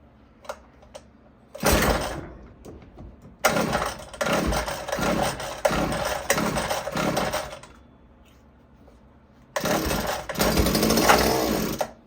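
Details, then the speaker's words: Gas hedge clippers that would not start, run on starting fluid with choke: pull-start bursts catch into short buzzy runs that die within seconds, so spark and compression are fine; suspected gummed carburetor, fuel starvation, unconfirmed. "right there that's all you wanted to hear right there that that's good that means it's got fire compression all that so that's what you want to hear right there you know that is how you test if it's a fuel system"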